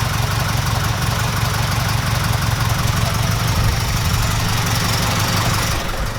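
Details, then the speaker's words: 1969 Ford Capri Pinto engine idling after renewed camshaft finger followers (new carb air filter): even, steady idle with soft regular beat, no top-end ticking, quiet healthy valve train; silky smooth. "I'm well chuffed about this guys. This sounds silky smooth."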